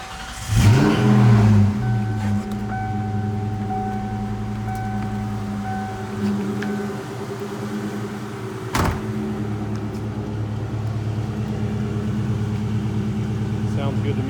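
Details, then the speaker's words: 1997 Ford Mustang Cobra DOHC after fitting new coils, plugs and wires (old coils tested fine): cranks, catches with a brief flare, then settles to a steady even idle on all cylinders, no backfires or stumble; normal idle. "no backfires or anything"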